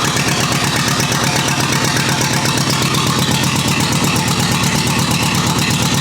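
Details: Rebuilt U23 engine idling on its very first start in 25 years, non-original carburetor still short of idle fuel and needing adjustment: steady, even low putter with regular firing beat, no knocks or misses; running smoothly.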